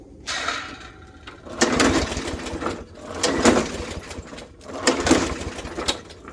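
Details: Murray Black Max mower with a Briggs & Stratton E450 engine, air filter removed, before any starting fluid: repeated rope pulls, each a short rasping spin with no firing. It won't start, starved of fuel by a clogged carburetor jet.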